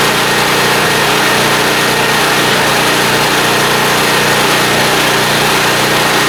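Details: Small blue Walmart generator, about 15 years old, 110-120 V, running indoors on a lamp load, being left to run dry after fuel system work; steady, even drone with no misses, surges or knocks, running cleanly.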